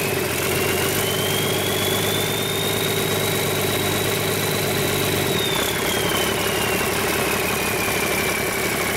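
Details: Rebuilt 8.3L Cummins diesel with inline injection pump, for a Hyster 15K forklift, first start after rebuild and fuel system bleeding, no coolant fitted: steady, even idle with faint rising-falling high whistle, no knocks or misses; normal idle.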